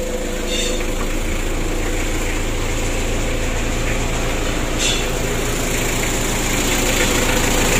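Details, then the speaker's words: Freshly rebuilt 2017 Mitsubishi L300 diesel just after first start: steady, even idle with smooth low rumble, no knocks or misses; oil light off, oil circulating, no compression leak, quiet engine; normal idle. "Alhamdulillah untuk suaranya juga bagus teman-teman yang mudah-mudahan aman dan lancar ya tidak ada halangan"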